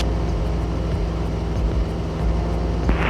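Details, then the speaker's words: Club plane engine at cruise altitude, mixture being leaned back from full rich while watching a gauge: the drone sags and goes uneven, the beat wavering before recovering, showing rough running from an over-lean mixture. "As I twist a little bit more, that'll go up a little bit more, and a little bit more. And then at some point, the engine will start running rough."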